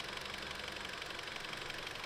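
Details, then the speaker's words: Audi S3 that overheated from a coolant leak, idling with the coolant cap off to bleed bubbles: fast, light, steady ticking over a smooth idle. The tick is new; owner fears he damaged the engine, cause still unknown. "However, I don't like the sound of that. I might have messed up the engine. There's a strong ticking sound. It never used to sound like this."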